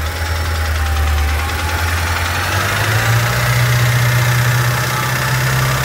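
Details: BMW M5 F10 S63TU engine at steady idle with a light, fairly quick ticking of roughly four a second over the engine note; cause not confirmed.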